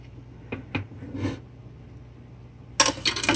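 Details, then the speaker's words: Solectria BC3300 charger (S/N 1161), stuck in its case during repair: irregular metallic clinks and a rattling slide as the box is tipped, the missing nuts and bolts rolling loose inside the enclosure, the whole bottom full of them. "There are nuts and bolts. They're slowly coming out of the charger because they are inside the box. The whole bottom is full of all the nuts and bolts."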